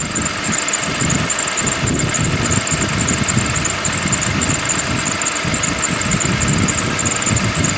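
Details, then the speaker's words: 2007 V6, about 25,000 miles over 7 years, cold January start: busy metallic rattle with a faint squeal over a steady idle. Owner says this is normal for these engines and it smooths out as the engine warms. "that's just how they run it's nice there's nothing wrong with it when it warms up a bit the rattly totally going on tends to smooth out and go away"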